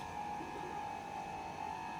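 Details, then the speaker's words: Indesit IDC75 condenser tumble dryer running: a steady, high humming drone that has only just developed and is louder at the back; the owner suspects the pump. "as you can hear it is noisy this noise has only just developed"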